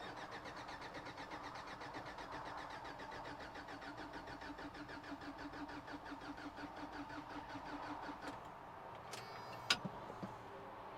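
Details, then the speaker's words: 1993 Toyota pickup sitting 10 years, air flow meter flap held open, fuel pump cycling: even starter cranking for about eight seconds with no catch; fuel return line not returning, and owner suspects a clogged fuel filter on the block. "the return line is not returning so I've got a feeling that the fuel filter on the side of the block is clogged up and not letting us get fuel up here"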